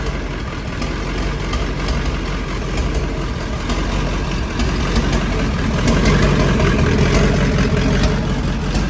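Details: LBZ Duramax diesel drag truck (472 charger, 150-over injectors, 12 mm pump) on first run with exhaust manifold plugs removed and air still in the system; idling and revving with a quick steady tap, like a big exhaust leak, not an internal knock.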